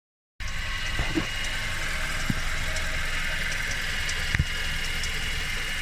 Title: What is that weird noise